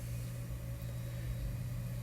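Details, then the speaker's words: Seagate 500 GB hard drive from an HP desktop showing no drive present, stuck head freed, on an external dock: steady low spindle hum at constant speed with no clicking, buzzing or scraping; spins up normally and mounts. "but at least you know it is spinning up"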